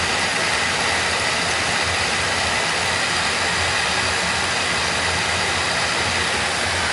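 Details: Oil burner on a heating system being dialed in, air band adjusted back: steady even roar of flame and fan, no pulsing or rumble; sounds good, normal operation.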